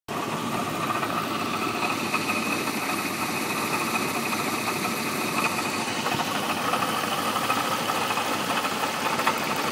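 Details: 1989 Jeep Cherokee 4.0 inline-six with 227xxx miles: steady idle with a fast, even tapping knock under the exhaust note.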